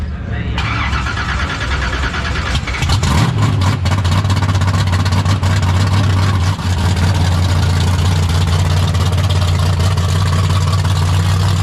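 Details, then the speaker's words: 1972 AMC Javelin, AMC 401 bored and stroked to 431 with aluminum rods and stroker crank, built 1996 and first run the day before: cranks briefly, fires, settles into deep, steady V8 lope; normal start and idle. "So, the first time it has run was yesterday, since it was first put back together in 1996. So almost 30 years ago that motor was built and then never ran. So pretty wild it runs as good as it does."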